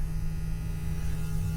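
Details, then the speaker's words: Caterpillar 966 wheel loader (called both 966K and 966H), bought non-running at auction from a landfill: a steady low electric hum from the fuel transfer pump priming, no surging or rattle. The pump is working, though lots of air is in the fuel. "There you go. You can hear there's your fuel transfer pump."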